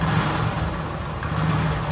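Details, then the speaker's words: TVS XL100 (Super XL 100cc) after tightening the tappet nut screws, kick-started: steady, even low putter at idle with no ticking from the top end; the engine now runs smoothly. "మనకైతే బండి అయితే పర్ఫెక్ట్గా set అయిపోయింది. మనకైతే ఏ problem అయితే ఏం లేదు ఇంజన్లో పడనేది. మనకు సౌండ్ అయితే స్మూత్గా వస్తుంది."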